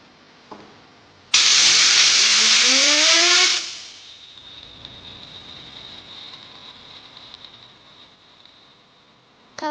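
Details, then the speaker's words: Bearing from a 10-year-old BMW R1200GS boxer at 85,000 km, spun by air on the bench: a normal one whirs silky smooth with no rattle, unlike the worn one that rattled; the gearbox input shaft bearing was found damaged. "that? The sound is silky smooth."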